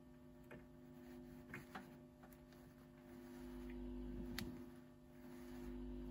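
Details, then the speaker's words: Torque Acoustics T100L guitar amp (c. 1989–early 90s, TL072 opamps, LM386, spring reverb) during repair: quiet steady low mains hum under faint clicks and handling sounds on the output; amp now producing sound and appears to work. "You can definitely hear the hum kicking around."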